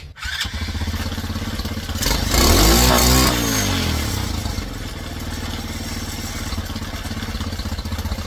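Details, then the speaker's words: Old Tao Cheetah kids 125 ATV on a PZ22 carb, idle snapped to wide open: it settles, a primer blip then a hard rev that climbs and falls back to a shaky idle. Without the blip it dies. Lean pilot jet; raising it from 35 to 40. "So, we're going to raise that pilot jet from a 35 to a 40."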